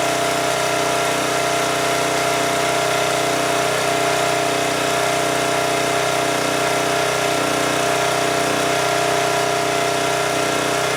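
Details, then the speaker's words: 2002 Coleman Powermate 5500 generator after carburetor cleaning, running at full speed. A high, steady drone with no hunting, revving faster than it should while putting out 135 V. Engine overspeed from the governor spring set too tight; the adjusting nut looks non-original. "but 135 volts is too much so I'm going to back this off"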